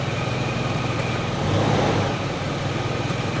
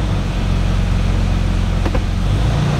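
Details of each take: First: 2006 Toyota 4Runner idling with a thin steady whine swelling as gears engage; transmission pump howling from seriously low fluid. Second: 2006 Toyota 4Runner with check engine light and transmission codes, not fully warmed: steady low idle with one soft click as it drops almost immediately into drive, no lag or harsh thump; prompt engagement.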